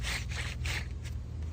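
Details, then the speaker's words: Worn wheel bearing on an Infiniti, found during a brake job, spun by hand: gritty, rasping scrape in uneven bursts, versus the new bearing which is quiet and smooth. "that's what a really noisy bad one, and this one is nice and quiet and smooth."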